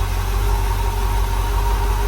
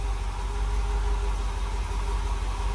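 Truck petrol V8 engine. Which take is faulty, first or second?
second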